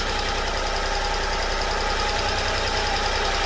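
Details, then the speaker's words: Honda Acty after valve cover gasket and distributor O-ring job, distributor turned 180 degrees and reinstalled; small petrol engine idles steadily, even beat, no misfire; normal idle after the timing fix. "There we go. Flipping that distributor 180 degrees. Fixed it."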